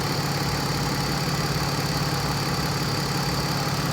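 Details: 2002 BMW 330 warming up, P0300 random misfire code: idle pulses slightly unevenly with a faint hiss; vacuum leaks cause random misfire and rough idle.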